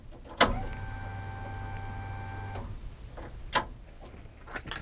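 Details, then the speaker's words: 1992 Honda Accord CB7 with a rebuilt custom factory harness, before its first start, powered by jumper cables from another vehicle: click at key-on, then a faint steady electric hum for about two seconds before cutoff; normal fuel pump prime. "so right now I do have the fuel pump plugged in and you could hear that turn on"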